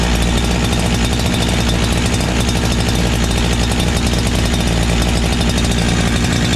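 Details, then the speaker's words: Brand new NEO-TEC NH872 71cc chainsaw (Husqvarna 372 XP clone), 28 in bar, first start before idle adjustment: steady fast buzzing idle sitting a little high, chain barely creeping; idle screw needs turning down counterclockwise. "it actually sounds like it's idoling a little bit high"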